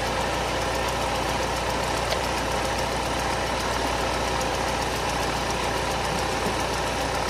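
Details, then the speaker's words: Mercedes SLK R170 Kompressor that would not start, after replacing the K40 box ECU relay (broken coil) with the air pump relay: engine starts and holds a steady even idle with no misses. "Sitten katsotaan lähtikö käynti. Sehän lähti. Relevaa teki kiusaa siinä."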